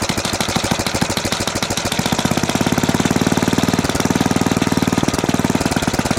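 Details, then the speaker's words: 1970 Rupp Scrambler small single-cylinder engine at idle: hard, rapid, evenly spaced knocking that goes away with a little throttle; cause of the knock not yet known. "I mean, not bad. But you still hear that knock at an idle."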